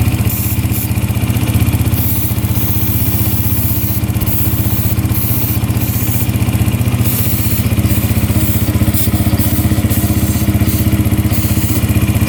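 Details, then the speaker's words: 2011 Yamaha Raptor 125 with good fuel flow from the petcock, probing the intake boot for air leaks: even single-cylinder idle at about four beats a second, speed unchanged; no leak found. "All right, we're just checking for air leaks around the boot here. So, it'll change in idle if it's sucking in anything. Nothing yet."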